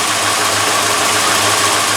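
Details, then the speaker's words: Rebuilt MK4 Golf engine, first run after rebuild, AC delete pulley sitting cockeyed: even steady idle with smooth low pulse, no knocks or misses; runs pretty decent, though it squeaks badly when revved. "well, anyways, you can tell it runs pretty decent, except for when you rev it up a little bit, it squeaks like crazy."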